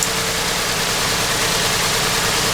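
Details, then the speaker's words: 2009 Ford Edge 3.5L V6 at idle, code P0306: uneven stumbling beat under hiss, steady miss; unplugging one coil connector changes nothing; misfire from faulty spark plug after coil and injector tested. "I can feel it's got a good miss. I unplug this connector and it doesn't do nothing."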